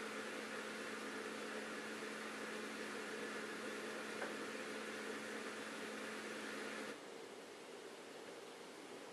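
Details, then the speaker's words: Bosch dishwasher SHE4AP02UC/06, empty sump; steady thin hum with airy gurgle about seven seconds then cuts out; drain pump runs continuously on air, only stops with water present; owner suspects loose plastic sump lid. "this is an empty dishwasher and what we should hear is it's running the pump continuously and sucking air the whole time because it actually has no problem running the pump the control board is activating the pump and the pump runs continuously"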